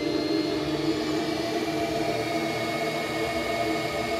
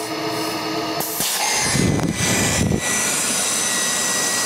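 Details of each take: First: GMC Envoy with code P0410, electric secondary air pump commanded on by scan tool: a steady electric whir with constant pitch for four seconds. The pump runs, but its outlet is blocked by a stuck-shut diverter valve. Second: GMC Envoy with code P0410, electric secondary air pump running with its outlet tube disconnected after the solenoid/diverter valve: a loud, even airy roar with good flow and no grinding. Normal pump run; struggling when reconnected suggests the diverter valve isn't opening.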